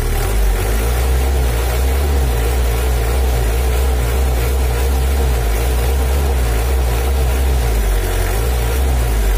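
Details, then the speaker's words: Factory-stock Mitsubishi L300 4D56 diesel, untuned since 2016, that was weak on hills and slow to pull. After valve and injection pump adjustment, the idle is steady with a dry low clatter and no misses or surges. Normal idle. "oke penyetelannya udah selesai halur suaranya Udah lu udah kering tapi enggak terlalu kasar dan bekasnya pun juga kontan"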